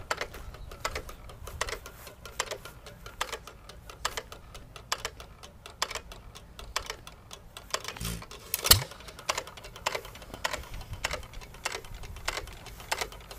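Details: Hit-and-miss engine (1½hp T. Eaton or 4hp Nelson Brothers) coasting between firings, no governor springs, slowest throttle: sharp, light, even clicks about two a second from the cam hitting the exhaust latch arm each four-stroke cycle; normal.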